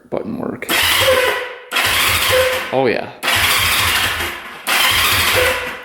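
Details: 1971 Honda CL350 Scrambler, unrun for over 25 years, lithium battery freshly charged, before fuel checked: three or four bursts of the electric starter cranking evenly without catching; starter healthy.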